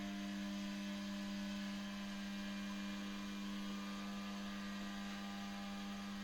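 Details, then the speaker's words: Old unbranded electric heater, possibly pre-war German or post-war Polish, fed from voltage regulator at very low voltage around 30 V: steady low electrical buzz of the heating coils at one pitch; heating coil hum, not yet warm. "O, i słychać już tutaj spirale."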